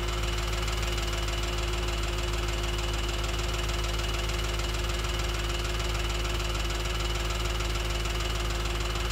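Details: Audi B7 S4 V8 at idle, heard through a stethoscope: fast, even ticking about three per second over a deep idle drone, loudest at the rear of bank 1 near the cam adjusters and cylinder 4 valvetrain.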